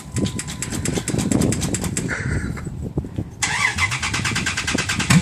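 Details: Cold Dodge Ram with a carbureted engine and temperature-spring mechanical choke: repeated rhythmic cranking with throttle pumping that stumbles and won't catch cleanly, then smokes; hard starting when cold.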